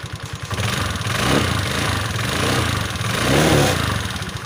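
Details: Automatic belt-drive scooter after the kick-start shaft, which had slid back against the fan and made the kick-start stiff and noisy, was relocked and its spring reassembled; the engine catches and revs smoothly with no rubbing or scraping. Normal running.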